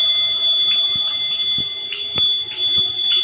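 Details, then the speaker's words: Building fire alarm sounding after power returned from a blackout: steady high-pitched tone with irregular chirps about two a second over it. Owner suspects the panel shows a fault and the problem is in the wiring; cause unconfirmed. "Nag-burn out na, hindi, nag-blackout doon kanina. Tapos pagbalik yun, nag-fire alarm."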